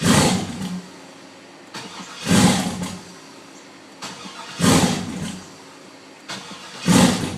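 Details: Truck won't start: short bursts of cranking about every two seconds, each dying away with no catch or idle; engine turns over but never fires, cause unconfirmed.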